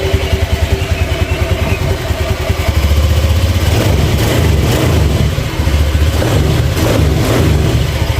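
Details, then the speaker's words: Honda Beat FI scooter after a full engine rebuild, with the CVT cover refitted, revs up and down smoothly with no rough rattle; the engine is sound, and the rough noise was traced to a worn CVT roller housing and out-of-round rollers. "kita dengarkan suaranya Apakah sama seperti tadi di sini sudah kita dengarkan ya suaranya halus ya langsanya juga halus"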